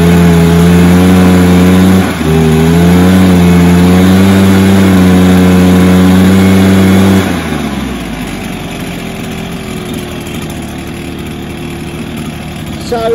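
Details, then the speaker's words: Stihl BR430 backpack blower two-stroke, primed and choked with the carb initially run empty: a flat mid-range drone that stumbles briefly and never reaches full revs, then drops to idle. It is bogging from a lean carb, with a carb screw adjustment planned. "it's not rubbing out I'm going to adjust that carb screw what I mentioned which I messed around with and I think that should solve it"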